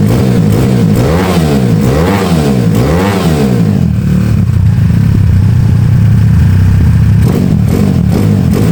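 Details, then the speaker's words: Honda Beat carb scooter bored to 130cc, 2+ years daily use, PE26 carb, slightly raised compression, racing exhaust, checked up for touring: three quick clean blips through the loud exhaust, then steady even idle; smooth and healthy. "tadi gua gua udah tes tuh enak banget geberannya. Mantap. Suaranya juga halus."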